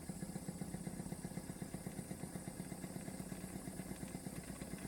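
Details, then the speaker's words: Wilesco D455 toy steam engine, boiler about half full, puffing softly and evenly at about four beats a second with no knocks; running healthy and very quiet. "Yeah. Quiet. Yeah. How quiet that is."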